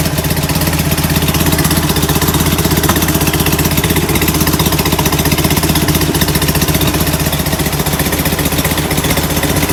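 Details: Rebuilt, enlarged performance VW air-cooled flat-four on first start: lumpy, loping idle with irregular exhaust chuffing, running rich; suspected oversized idle jets despite bigger motor and air cleaners.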